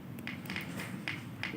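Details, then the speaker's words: Transformer tested with speaker on secondary and battery tapped on primary through a series resistor: sharp single ticks each contact, windings and resistor intact, transformer good. "Nah, itu harus bunyi ya. Harus bunyi. Nah, tik tik, nah bunyi krek krek gitu ya. Tik tik tik. Nah, tik tik. Nah, tik berarti bagus ya. Bisa bunyi speakernya berarti bagus."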